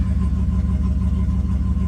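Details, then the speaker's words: Stock GMC V8 truck engine with an added turbo and 60-lb injectors, fully warmed up. It has a deep, evenly pulsing idle around 750 rpm in closed loop, with the O2s warmed and switching and no ticks or stumbles. Healthy warm idle. "Idling fine. The idle will come down around 650 once it's warmed up. I'm sorry, 750. So it's right about there. Closed loop."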